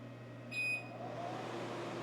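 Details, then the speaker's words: xTool P3 CO2 laser powering on after its cracked, leaking water tank was replaced and refilled with purified water: short, clear high beeps over a steady low hum with blower and bubbling; normal startup. "all right it's turned on we got a couple beeps that's normal"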